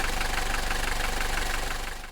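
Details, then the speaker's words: Mercedes W123 240D diesel, about 129,000 miles, untuned (only air filter changed); even, steady diesel clatter at idle with regular firing pulses and no misses: smooth, healthy normal idle, though motor mounts need replacing. "It's very smooth for a 240D. It's going to need motor mount replacement, but just listen to the sound. That's the sound of a healthy 240D engine."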